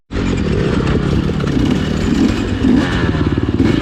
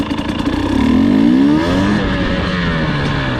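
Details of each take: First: 2020 KTM 250 XCW TPI two-stroke before the fix. Loud, low-revving engine burbles and gargles unevenly below 1/4 throttle instead of running crisp. Fixed by swapping the cylinder pressure sensor with the ambient sensor. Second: 2020 KTM 250 XCW TPI two-stroke on a slow start after swapping the cylinder port sensor and ambient sensor. Engine note climbs smoothly from low throttle with no stumble or gargle. Pulls cleanly; the low-throttle sputter is fixed.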